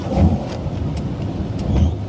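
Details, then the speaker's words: Water ski boat inboard engine running after owner bent the carburetor float, before refurbished carburetor swap: steady low rumble with no misses or stumbles; running smooth and even. "since I went in and bent the float ball this engine has been running really really"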